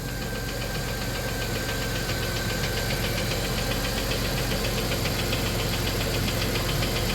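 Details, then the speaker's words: 1993 Plymouth Grand Voyager SE, revived after 18 years parked, idling with a quick even tick about three to four per second; owner suspects a stuck lifter plunger rather than a lifter seized in its bore. Lifter tick. "we're trying to decide if the lifter is seized in the bore or if it's the plunger in the lifter that's stuck"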